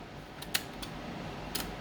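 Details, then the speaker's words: 1979 Lotus Esprit with new wiring harness, headlights switched on: several sharp dry clicks a fraction of a second apart; headlight relay switching cleanly, normal relay click. "Hear that relay clicking. It's good stuff."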